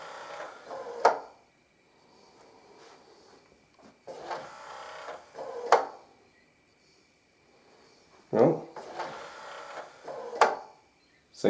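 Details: Yamaha CDC-625 CD changer whose drawer would not open, after fitting a replacement belt: short motor whirs each ending in a solid clunk as the tray moves and seats; drawer now opens and closes normally.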